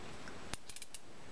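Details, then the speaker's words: Newell C229 conventional fishing reel during service, reassembled anti-reverse tested: a handful of light, crisp ratchet clicks while main gear stays still; anti-reverse catching normally. "can hear it clicking even though the the main gear isn't moving the rest of it is all right"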